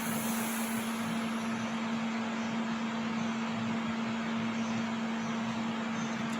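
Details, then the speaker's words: Euronda E8 autoclave during heating phase, temperature and pressure rising: steady low pump hum over constant even hiss as steam is injected into the chamber; normal heating cycle. "Voilà, vous entendez donc l'injection de vapeur à l'intérieur de la chambre."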